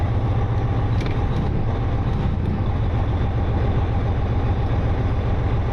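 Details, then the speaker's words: Freightliner Century Class truck at an equipment auction, older pre-modern-emissions diesel: deep, steady rumble with even beat, no misses or knocks; normal diesel idle. "come on now we're talking listen to that thing that's a real truck that's not one of these fancy new choked down emissions"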